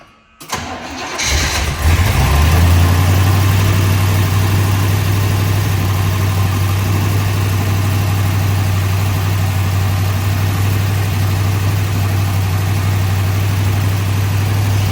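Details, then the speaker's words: 1965 Corvette L76 327/365hp convertible, freshly body-off restored, under 30 miles since, fully cold after about two weeks unstarted: cranks and catches quickly, steady high idle working, light even solid-lifter tick over the rumble; normal cold start. "Here, that's solid lifters. High idle's working."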